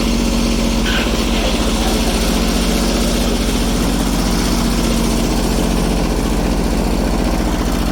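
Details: Restored Kubota G4200 garden tractor diesel, first start after the fuel system was redone and bled: steady, even chug at roughly four beats per second with no misses or knocks, a healthy settled idle.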